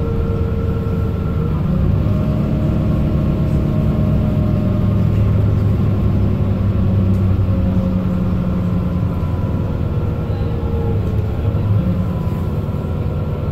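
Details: Mercedes-Benz Citaro O530 LE bus, OM457hLA 12-litre Euro 5 diesel (299 hp), ZF Ecolife 6AP1700B automatic with overdrive, 12,450 kg: a steady tone over drive noise that shifts step by step in pitch as it pulls; the fleet's only noisy Ecolife gearbox whining.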